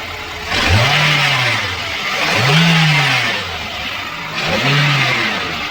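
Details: Three quick revs rise and fall with a hissy rattling layer over the engine, consistent with a worn V-belt adjuster (belt tensioner), before replacement.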